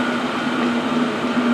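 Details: Parking heater on diesel fed from a 50 ml syringe in a fuel-consumption test, running hot at full heat: even fan rush and steady low hum, no misfire, surging or knocking; burning cleanly.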